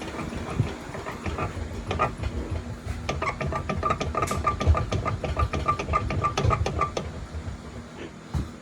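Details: 2005–2010 Chrysler 300: irregular metallic clunks with a faint squeak as the body moves, like an old bed frame; a worn front strut.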